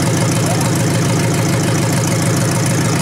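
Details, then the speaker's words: 1953 Hemi V8 revived engine at steady low idle with a light, regular ticking from the old mechanical fuel pump; carburetor working, oil pressure confirmed afterward, normal running. "Yeah, mechanical, you can hear it. That's good. That's the noise. That's what you hear."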